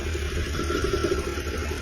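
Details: Flood-damaged BMW X5 after engine and transmission rescue and seized starter serviced, first run with fresh fuel, still smoking: steady low engine hum with even beat, no knocks or misses; engine running smoothly.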